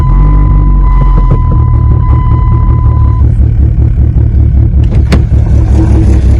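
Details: 1995 Plymouth Neon ACR with a big cam, running during restoration: deep, steady rumble with an even exhaust note and no knocks or misses. Healthy running.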